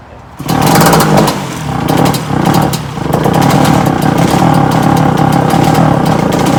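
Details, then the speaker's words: Honda CR-125 two-stroke shifter kart engine, first start after 20 months sitting: catches crisply, revs up, then settles into a steady buzzing run with blips, sounding healthy; carburettor float bowl vent was found spewing fuel. "the engine does run we didn't have it fire it up it runs great sounds right smells good"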